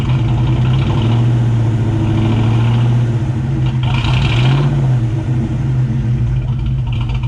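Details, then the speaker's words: 1999 Mustang GT with Nemak block, first start after engine build: deep steady V8 rumble settling into even idle, no ticking or knocking; about 70 psi oil pressure, transmission line leak noted; healthy normal idle. "but all in all it's alive it was showing about 70 psi of oil when it was running so i'd say that's a good sign it's alive"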